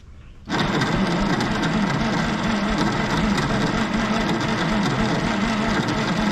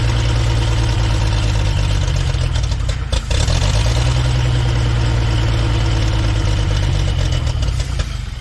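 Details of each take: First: 1960s Galion grader "Christine" being restored, cranked with the key bypassed through a solenoid. Sluggish, uneven churning at about four beats a second that never catches; the weak starter cranks slowly. Starter likely needs rebuilding; ether didn't help, spark issue suspected. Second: 1960s Galion grader "Christine", old petrol engine after restoration, started with choke, fuel pump not yet connected. Settles into a steady low thump, about four beats a second, with no misses and some alternator clanking. Healthy, even idle.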